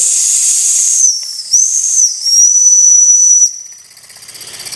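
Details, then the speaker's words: Jensen #5 toy steam engine, electrically heated, warmed up and running slowly, the speed adjustable. Its whistle, which also serves as the pressure relief valve, gives a sharp high whistle over steady steam hiss, pitch dipping and recovering, then fading. The whistle works. "and that is it running I mentioned earlier is a subtlest steam whistle"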